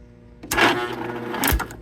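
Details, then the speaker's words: 2004 Husqvarna YTH2348 yard tractor, 23 hp Briggs & Stratton, 610 hours, sitting ~10 years, cranked on jump box: strained starter whirr about a second, doesn't catch; labored cranking, owner plans cleaning ground connections at solenoid and starter. "in okay um so that does not sound happy"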